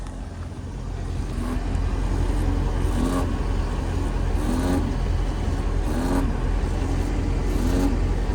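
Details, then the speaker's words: 2004 Mercedes-Benz S55 AMG W220 at idle after fuel pump replacement, with gunk from the fuel tank: a wavering mid-pitched whine swells about every 1.5 seconds, stops when revved or driving; owner suspects the pump is clogged and straining. "I replaced the fuel pump now is making noise, so it's probably clogged up and straining at idle. It doesn't do it when you're driving it, but at idle it starts to make this sound."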